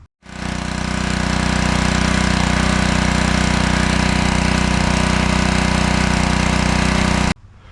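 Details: Honda GCV190 on a Craftsman pressure washer, nearly new, whose starter rope couldn't be pulled. After valve cover removal freed a suspected sticky exhaust valve, it catches quickly and runs a steady even beat, no knocks or misses. Normal running.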